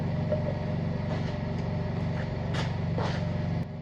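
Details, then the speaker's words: Vintage Howard V-twin engine during teardown: flywheel turned slowly by hand gives a dull repeating catch while the cam stays put. A chewed camshaft gear grabs and slips. "So I've just found the problem with this engine. I'm currently turning the flywheel, as you can hear, but this isn't spinning. You turn it and it grabs."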